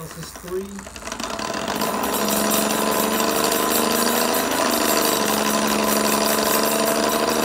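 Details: RadRunner 1 e-bike with Bafang hub motor, heard while commuting: a rapid buzzy rattle with a gritty grinding edge that rises as the motor spins up on throttle. Nothing looks wrong externally; the owner suspects internal motor or gear grinding.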